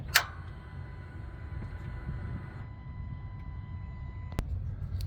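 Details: 2020 Ram 2500 push-button start: a single sharp click, a faint chime, then quiet with no starter spin at all; no-crank, cause not confirmed.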